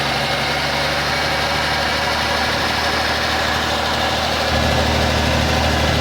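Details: 1984 Ford F-150 first start in ten years after sitting in woods since 2008, on a charged battery and old treated non-ethanol gas: steady low rumble with an even idle beat and no knocks or misses. Normal idle.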